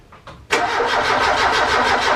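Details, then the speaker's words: Ford Capri Calypso after 14 years standing, no fuel yet drawn from the tank, battery weakening: starter turns it at about seven beats a second but it never fires; owner suspects no spark. "Don't think I'm getting the spark is the issue."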